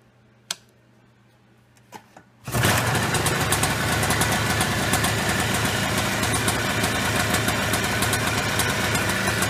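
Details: Early-1990s Polaris Trail Boss 250 two-stroke after crankcase seal replacement: a few clicks, then it fires and settles into a steady, crisp idle with no knocks or stumbles. Sounds healthy.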